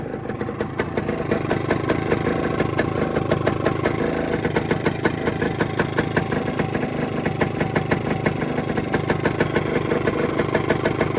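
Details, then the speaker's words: 1972 Suzuki TS185 two-stroke after new top end, idle restored by backing off an over-tight handlebar throttle adjustment and resetting carb idle; crisp, evenly spaced firing, quiet and regular, 32:1 premix plus oil injection, slightly smoky: healthy idle. "She's idling really nice now. It was something real trivial too. It was the throttle adjustment up on the handlebars."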